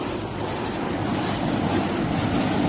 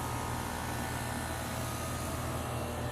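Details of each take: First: Old 1991 Bryant outdoor AC condenser, cooling poorly with high indoor humidity: steady loud rushing roar from fan and compressor, no rhythm change; old noisy condenser running. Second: New replacement outdoor AC compressor with new junction box, Houston: low steady hum with even hiss, no rattle or buzz, inaudible indoors; runs quietly and normally.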